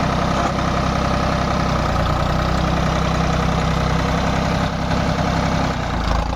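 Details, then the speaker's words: Tractor diesel engine after diesel pump repair and setting: even, deep clatter at steady idle with no misses or uneven beats; sound right and taking load properly. "आवाज भी सही load भी सही ले रहा है"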